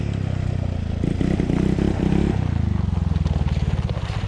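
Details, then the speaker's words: 1986 Yamaha Moto4 YFM200DX ATV, running horribly, poor idle: uneven single-cylinder stumbling, burping and popping under throttle; sputtering and backfiring from dirty carburetor, to be cleaned with gas drained. "that sounded horrible let's keep playing watch yourself on the ice [Music] [Music] it's still burping pretty good it sounds like"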